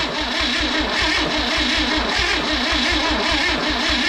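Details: Freebie 235 inline six after new points and plugs: starter grinds with even quick compression pulses but never fires; cranks but won't start.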